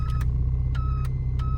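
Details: Mk3 Ford Fiesta: with lights on, short high beeps in quick pairs about every two-thirds second over idle; door switches, buttons and loose connections checked fine, owner wonders about the stalk; warning buzzer cause unconfirmed.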